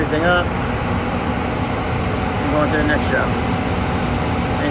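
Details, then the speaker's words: Furnace blower in a gas-fired furnace in a crawlspace, just after replacing a blower motor that hummed and froze under power; new motor mounted straight to protect bearings. Steady airy rush with low hum, no wobble, rubbing or duct rattle; normal running. "we didn't want to screw up the blow motor the bearings in there with a wobble it all over the place so this should be nice and quiet"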